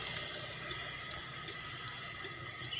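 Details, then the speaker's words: Honda Beat FI (injection) scooter that won't start, with no spark from coil to plug and no fault code on the indicator lamp. At key-on, light regular injector ticks about every 0.4 s over a steady high hum. Normal injector click showing it has power. "oke teman-teman kita tes untuk on Oke ini bunyi ya bunyi injeksinya tuh"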